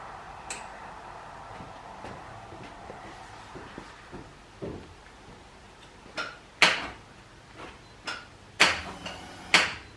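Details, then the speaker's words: Subaru Impreza GC8 STI Type R, oil pressure confirmed and cam sensor reconnected before start attempt: sharp single clicks a second or so apart with no cranking; starter problem suspected, or battery lost charge. "Oh, you are kidding. Well, that sounds like the starter motor has got an issue. So either the battery's lost charge and there's not enough oomph in it to start it, or the starter's packed up."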